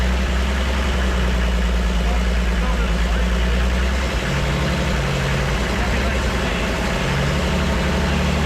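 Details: Toyota 2H diesel from HJ47 wreck, first run after freeing injection pump rack stuck in closed position: deep steady diesel clatter settling to even idle about three beats a second, no misses or hunting; running properly.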